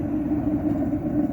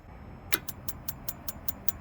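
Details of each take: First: Atwood RV gas water heater burner, running after the blown fuse was bypassed and while heating toward a thermostat cutoff of about 60 °C. A steady low flame roar with no popping or sputter. Air-fuel ratio is set to show a small orange tip, and combustion is normal. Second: Atwood RV propane water heater: sharp, even igniter ticks about five a second with no burner roar, and propane can be heard. The igniter sparks but never lights the gas, and flames are later seen outside the burner; the electrode gap is wrong.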